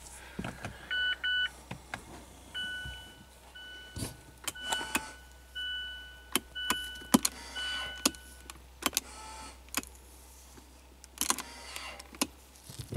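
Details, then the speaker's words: 2016 Mazda CX-5 rear electric parking brake, actuator refitted after new rear rotors and pads: short motor whirs, clicks and beeps but no firm clamp, so the brake fails to lock. "okay that sounded like it engaged this should be that's not locked dang what the heck is going on here"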